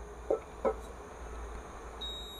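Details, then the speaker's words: Induction hob switched on with an aluminium pot: couple of soft clicks, then steady high beep; error because aluminium pan is not detected, hob itself fine and works with iron pan. "kita tempelkan ini bahan aluminium ini dan kita on kan dia akan error jadi tidak bisa dipakai ya untuk aluminium ini dia akan error tidak terbaca oleh induksi bukan tidak maksudnya tidak terdeteksi ya"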